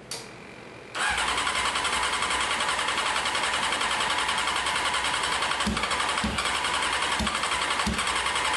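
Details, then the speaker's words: 1995 Honda CBR F3 first start, plugs very wet, no muffler, carbs possibly leaking: catches after a second into loud raw open-pipe idle with occasional low thumps; rough rich idle. "Plugs are so wet right now. [ __ ] Too wet, dude."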